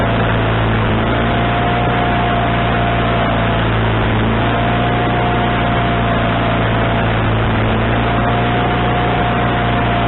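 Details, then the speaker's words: Wood-Mizer LT40HD sawmill engine with a newly installed replacement carburetor: steady, fast, even drone that never settles lower. The idle can't be adjusted down, and the owner suspects the governor linkage was hooked up wrong. "I'm not concerned with that but the idle adjustment I don't seem to have the proper idle adjustment I don't know why so uh I'm going to change your rankings around here maybe my linkage I hooked it up wrong the last time"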